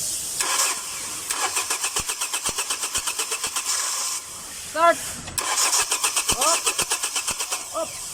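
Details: Hyundai Elantra no-start issue: starter cranks steadily at about five to six turns per second in two long tries, engine never catches; crank, no start.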